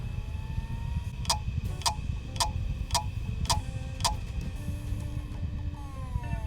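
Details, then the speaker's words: Apple Mac Pro desktop computer at power-on, mic held right against it, with 320 GB, two 3 TB and 250 GB hard drives and mismatched FB-DIMM and non-FB memory: about six sharp ticks half a second apart over low fan rumble; abnormal startup ticking, cause unknown. "That doesn't sound great. That's firing up okay, as you can see, but I don't know which hard drive it's trying to boot from."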